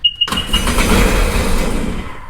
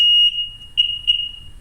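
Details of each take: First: Sea-Doo Sportster Speedster jet boat after refitting original starter solenoid, before water hose hookup: short key beep, then loud rough cranking about two seconds without firing; cranks but won't start, probably flooded from repeated priming. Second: Sea-Doo Sportster/Speedster jet boat with the starter solenoid being refitted after a no-start: sharp beep, then two clean chirps. Normal key beeps.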